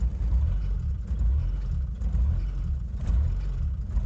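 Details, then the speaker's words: Old indirect-injection diesel truck with a mechanical pump, running on sunflower oil after the glow plugs stop cycling: a deep rumble surges and sags about once a second without throttle. Rough, unhappy running on vegetable oil. "after that they stopped working and now you're starting to see and hear it conking as you can see it's not very happy"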